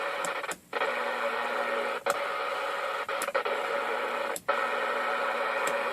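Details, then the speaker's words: JC Penney 981-7503 23-channel AM CB radio under restoration, set on channel 9: steady receiver hiss dropping out in short irregular crackly gaps as the dirty channel selector switch loses contact intermittently. "Nope, I got it on channel 9. Because you can hear its channel selector is intermittent."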